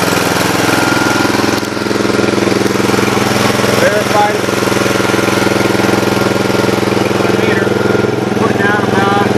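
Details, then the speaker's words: Mower on straight 30 weight oil: engine with a fast even beat about three and a half pulses a second, no misses or rattles, runs perfectly. "so let me go go ahead and um get this thing fired up and let you hear it run wow this AB runs absolutely perfect"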